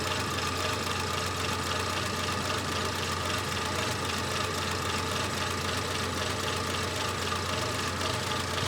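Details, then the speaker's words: Renault 25 V6 Turbo with an idle-control and burning-ECU problem: slow, slightly lumpy idle with a dull, uneven beat. The idle is too low, probably because the idle control valve is shut and not controlling anything. "not controlling anything I'm surprised that the idle is so low it's probably because the valve is shut currently"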